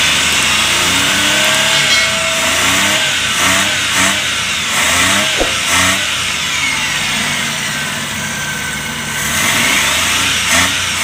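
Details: Suzuki Multicab F6A engine, checked for a hard-starting fuel-system problem blamed on fuel contamination: blipped several times, the pitch climbs and falls cleanly and settles back to idle without stumbling. Normal revving.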